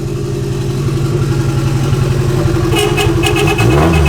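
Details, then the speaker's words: JDM turbo Miata in neutral after first successful start, exhaust unfinished; raspy engine climbs smoothly through a free rev with even firing, then a faint turbo hiss joins in: healthy rev. "Oh, you can hear the turbo. That sounds sick."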